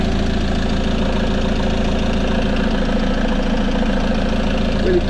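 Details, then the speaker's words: 2015 Peugeot Boxer 2.2 HDI diesel campervan, 130,000 on the clock, after timing chain replacement for a noise: steady, even diesel clatter at idle, smooth rhythm, no knocks or rattles; healthy idle. "so the engine's actually running and uh i'll just uh start up and let you have a listen"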